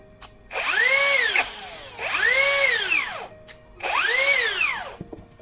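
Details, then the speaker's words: Cheap rebranded brushless drill motor, after reassembly with stator repositioned higher: three trigger runs whining up and down with harsh scraping, louder than before, back to the original pre-disassembly noise; rotor rubbing stator, needs disassembly again. "ini masih seperti ini tapi lebih keras lagi malah bunyinya kembali seperti yang pertama tadi sebelum dibongkar"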